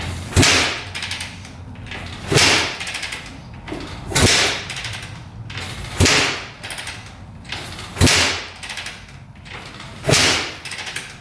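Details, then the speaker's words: 2004 Suzuki RM-Z250 after rebuild with new crank, bearings and top end: kick-over swish about every two seconds with no firing pop; cranks but will not start, same as before teardown, cause unknown. "uhoh I don't know what's going on it is not firing huh what the heck not good"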